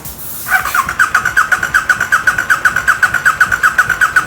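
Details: KTM Super Duke 1290 R during a used-bike inspection compression test, spark plug out and throttle held open: even starter cranking pulses at about two and a half per second, each stroke alike, showing healthy, balanced compression.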